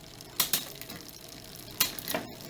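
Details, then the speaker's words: New SRAM NX 11-speed rear derailleur on a Kona Kahuna DL mountain bike, after limit-screw, B-screw and indexing adjustment, checking downshifts: a few light crisp clicks, no grinding or skipping. Smooth shifting. "Then we go backwards to shifting to the larger gears and make sure that the downshift, or this shifting down to the smaller cogs, is working smoothly as well."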